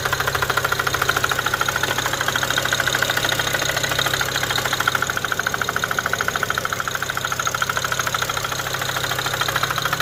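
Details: Car idling with a hard, regular knock about three beats a second, apparently from the driver side front of the engine, heard after a test drive following intake valve cleaning, a used high pressure fuel pump, an intercooler upgrade and new fuel pressure sensors; cause unknown.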